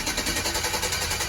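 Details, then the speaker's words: '68 Chevelle wagon LS V8 on new Holley Terminator X Max EFI, first start after TPS learn and priming: even quick exhaust beat, no misses or knocks; normal idle. "Yeah, buddy. Listen to that. Just like that. Wow. Holley really does make it that easy, guys."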